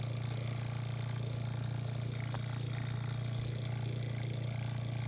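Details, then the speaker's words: New Facet red top electric fuel pump on a TVR wedge V8, mounted under the bonnet near the carburetor: a steady, quiet low hum with no rattle or surging after priming. The regulator holds 4 psi, and the pump runs normally. "yes bloody excellent what a result it's humming away quietly the pressure"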